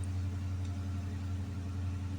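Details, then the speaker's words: Hemi engine after repair for codes P0520, P1521, P0344, just after replacing the oil pressure sensor: started up, low steady even idle rumble with no knocks, ticks or misses; normal healthy idle. "61 6 to one 6 to1 engine [Music] running this do sound nice"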